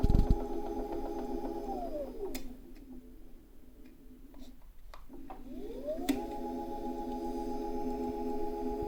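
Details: Tacx Alpine trainer lift unit: motor whine glides down, pauses and climbs back up, with sharp knocks on each direction change; also sometimes gives high-pitched resonance in Zwift.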